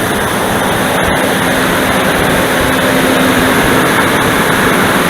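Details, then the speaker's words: Dodge Dakota V8 cold start on a mild spring/autumn morning, engine cold: a loud, steady whooshing roar swamps the engine, drowning out speech. The viscous fan clutch is locked up almost fully and settles as it warms. "방금 들으셨던 소리가 지금 냉간시에 시동을 걸었을 때 횡클러치 소음이에요. 순수하게 횡클러치 소음밖에 안 들립니다."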